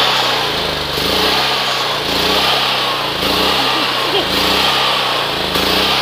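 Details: Pulsar generator with recently done maintenance, pull-started cold at 20°F on choke: it catches and settles into a steady, busy run with a slight cyclic surge; a healthy cold start and running.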